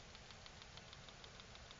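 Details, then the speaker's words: Dick Smith XG4182 digital photo frame on a 12V plug pack, with screen and fluorescent backlight disconnected: faint, rapid, even ticking about six or seven times a second through the speaker. Supply seems to be hiccuping; cause unconfirmed. "we're still getting that noise there something over here is not too happy"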